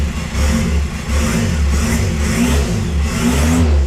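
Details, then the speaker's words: VW Jetta TDI diesel after reinstalling the engine computer and loading a new tune: the engine settles into a steady, even chug with a few smooth revs and no knocks or misses. It runs cleanly, better than before. "yeah that sounds better"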